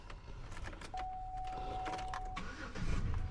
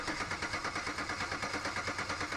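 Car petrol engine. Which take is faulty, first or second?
second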